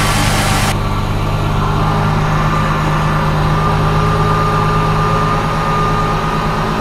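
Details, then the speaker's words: 2004 Ford Mustang just started for first time after fuel pump replacement, coolant checked full and oil level good; steady even idle with smooth low hum, no misses, stumbles or knocks: normal idle. "Yeah, buddy. It's alive. Yes, sir. It runs. Yeah."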